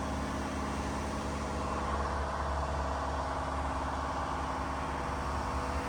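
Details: Diesel-powered fire sprinkler pump on its weekly half-hour test run with the isolation valve closed: a steady, even diesel drone with no knocks, misses or surges; the engine runs cleanly under test load.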